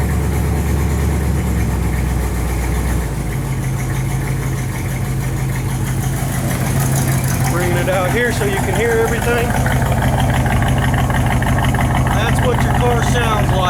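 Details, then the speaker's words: 1967 Chevrolet Impala, engine running without headers or mufflers, heard from inside car and outside; cranks and catches, loud deep even idle with no misses or knocks; normal start and idle. "come up and show it running there there's your engine running so hope you like it"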